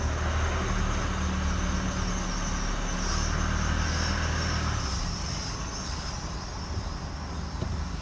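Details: 2016 Chevy Colorado, 7k miles: a high squeak about four times a second at about 5 mph, braking or not, gone at a stop or above 10 mph; traced to the driveline at the transfer case.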